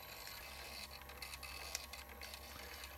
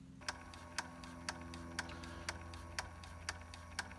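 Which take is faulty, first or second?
first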